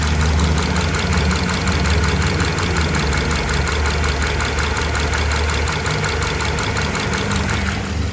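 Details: Subaru FB25 engine knocking for about 20,000 km, cold and hot alike, also clearly heard with the gearbox selector in D or R; idle with a sharp, regular ticking knock a few times a second over the drone; internal engine knock.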